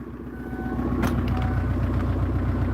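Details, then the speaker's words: Kia Sedona diesel, first start after cam belt change with intercooler removed, smoky but steady even clatter at idle with no misses or knocks; normal idle. "Sorry about the smoke. But yeah, it's running. And it actually sounds alright."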